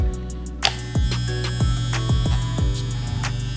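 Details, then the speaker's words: Andis Master clipper just reassembled with brand-new blades, tension set; steady low motor hum with a faint high-pitched ringing, typical of new blades. Running perfectly fine. "So if you can probably hear, it has actually a high pitch little ringing to it. That's usually the sound you get when you get brand new blades, so that's actually running perfectly fine."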